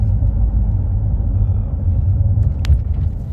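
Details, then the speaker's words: Lexus RX350 after replacing the damaged damper cushion inside the steering motor, driving on an interlock road: steady low road rumble and one brief thump over a bump with no rattle following. Fix confirmed. "There's no noise at all. I'll be going over a bump very soon. And you will hear that the noise doesn't come up."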